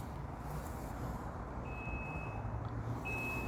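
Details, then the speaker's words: 2006 Mercury 150 HP Optimax outboard, little used for 5 years, with a 4-beep warning every 2 minutes: a high steady beep sounds twice over a low idle while the oil tank sensor is being tested, with water in the fuel also suspected. "Can you hear that? The beep has come back. The beep has come back. 45 seconds later."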